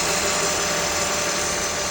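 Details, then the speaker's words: Honda with a serpentine belt squeak under acceleration, after belt/pulley work and reassembly of the reservoir bracket: even steady engine run with smooth hiss, no chirp or squeal, smoother than before. Normal idle. "Hopefully there's no squeaks. Sounds good. Sounds good. Sounds smooth."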